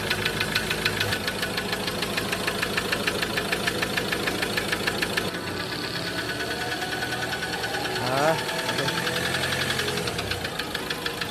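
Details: Ford Ranger diesel at idle: steady light ticking at about three per second riding over the diesel idle; a knock or tick of unknown cause.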